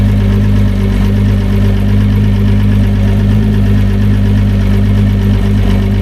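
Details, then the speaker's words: Newly fitted repower outboard, replacing an old 250HO Etec, at 500 revs, 14.3 volts, running XD100 oil: a deep, smooth, even burble at a steady pitch with no knocks or misses; a healthy idle. "Well, she runs. What do we got here? What do we got? 500 revs."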